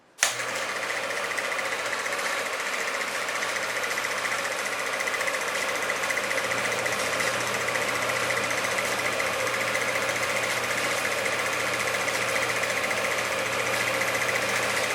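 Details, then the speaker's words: 1946 Victor model 40B projector being restored: it was gummed up and freed by oiling. Steady, fast mechanical chatter over a constant hum, with no knocks or grinding. The projector runs pretty good: normal running. "But it's really running quite well. So, I just wanted to show that this thing does work thus far."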